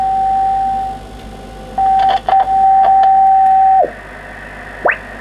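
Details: Kenwood TS700S 145 MHz all-mode VHF transceiver, receiver check with generator at 1 µV on 145 MHz: clean steady mid-pitched whistle drops out and returns while tuning upper/lower sideband, rather precise; S-meter indication nonsense; normal SSB reception.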